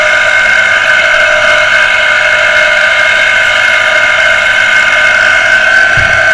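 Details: Water pressure pump motor that had only hummed and not started, heavily jammed and beginning to free up after servicing, run on socket; steady loud electric hum with strained, slightly rough whine; shaft still dragging on stiff bearing.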